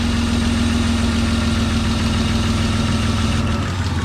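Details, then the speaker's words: BMW E36 convertible after oil pan replacement, first start: uneven, loping idle that wavers; owner says it idles like it has a vacuum leak, and it is smoking, possibly residual oil on the exhaust. "i think it's just the exhaust it's coated in oil but it is idling like it's got a vacuum leak"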